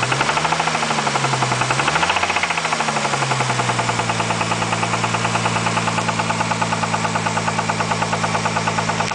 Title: spun bearing??